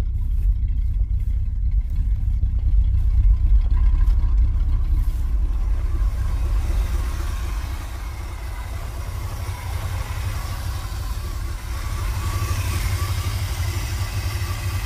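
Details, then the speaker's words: 1980s Chevy K30 dually 4x4 dump truck, long parked, first start; deep, slightly uneven idle burble about four pulses a second, steady, no knocks; owner notes vacuum leaks; rough idle. "all right she's idling guys [Applause] sounds good even with all those vacuum leaks"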